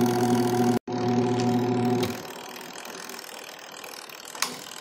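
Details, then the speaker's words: LG automatic washing machine converted to manual, spin motor test after rewiring from the spin timer: steady motor hum for about two seconds, then winds down. Runs one direction only. Runs cleanly, no grinding. "Ilagay natin dito sa spin. Paandarin natin to. So, ayun. Hindi siya sumama. Ayan, oh. Isang direksyon lang."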